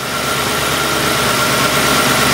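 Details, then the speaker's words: 2003 Mercury Grand Marquis 4.6 L with P0507 and replaced IAC valve, TPS 1.14 V at idle: steady, slightly raised idle with a hissy, even hum. High idle from throttle angle set too far open; fix is adjusting minimum idle speed. "and if the throttle angle is higher than normal that's going to increase your RPM"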